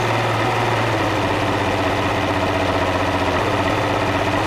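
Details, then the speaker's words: Mercury 200 hp outboard at idle, sitting since last fall: rough uneven idle with regular stumble from a miss on #1 cylinder, gone above about 1500 rpm; killing #1 spark removes the miss, new plugs fitted, a gummy #1 injector suspected. "got a pretty substantial miss. And we're going to knock out the number one cylinder."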